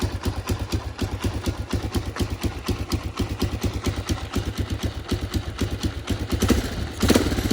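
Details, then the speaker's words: 1984 Honda XL 200R dirt bike, sat about two weeks, started on choke: steady, even single-cylinder thumping at a fast idle with no misses or knocks; runs pretty good. "yeah you can hear it run runs pretty good"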